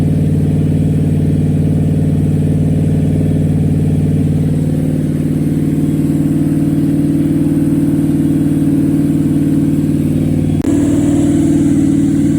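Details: Rebuilt small-block Chevy V8 on a motor stand during its second break-in, after the lifters were pulled and the cam inspected: smooth, steady rumble that lifts slightly at a fast idle, with no knocks or ticks; the engine runs healthy.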